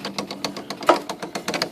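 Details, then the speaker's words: IBM Selectric II correcting typewriter running: fast even clatter with a dull thump each cycle. The center hub is cracked all the way through. The machine freezes when any key is hit because the hub spins while the operational shaft does not. "of a hub, center hub gone bad. That thumping sound. That hub down there is broken."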